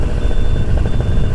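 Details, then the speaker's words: Brand-new Bulldog Spirit Moster MY25 DS paramotor two-stroke during break-in with prop, dropped to idle after 4,000 rpm for 4 minutes: fast, steady buzz that never settles to a slow idle; idle speed seems a bit high. "Okay, 4,000 RPM for 4 minutes. Alright, so we need to go to idle. It seems like the idle is"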